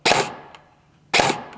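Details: Airsoft Specna Arms Edge 2.0 AEG with Gate Aster MOSFET, test after reprogramming and saving via selector switch: two single sharp cracks about a second apart, each stopping cleanly with no follow-on shots; semi-auto firing correctly.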